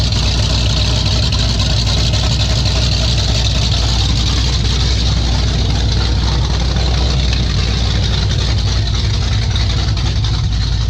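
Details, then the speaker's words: 1995 Ford F150 with 347 stroker, just started, carburetor still needing adjustment: loud, lumpy, irregular idle close to stalling, engine wants to stay running; rough running, cause unconfirmed. "Yeah, you kind of hear it right there. It wants to stay running."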